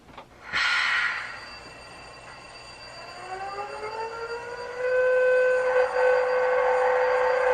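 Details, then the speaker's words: Model Intermountain Tier 4 GEVO locomotive, ESU sound decoder with two new TDS small cube speakers replacing the crackly factory pair to fix shell rattle; clean diesel start-up and horn-like drone at about factory volume, no crackle or rattle. "so it seems like it's about the same volume as uh what the factory uh setup was that was in there"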